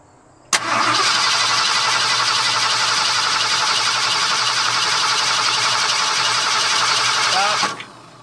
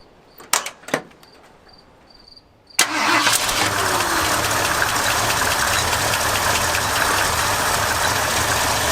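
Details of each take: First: Late 1978 Ford F-150, previously flood-damaged, fuel system problem, fuel being added while watching for fuel: steady starter-motor churning for about seven seconds, engine never catches; air drawn into the fuel line starving it of fuel. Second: 1978 flood-damaged truck after patching rotten fuel hard line: a few cranks, catches and settles into a steady even idle; engine starts and runs well, though plastic fuel filter leaks.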